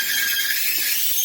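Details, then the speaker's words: Loud, steady high-pitched mechanical squeal from a roadside-found Maytag 2000 series MCT electric dryer (PN MEDE200XW1), tested before repair; lint screen rarely cleaned. Fixed by full teardown to repair the bearings and rollers. "Oh, that's real squeaky. So this dryer got some sort of a pretty severe mechanical squeal going on."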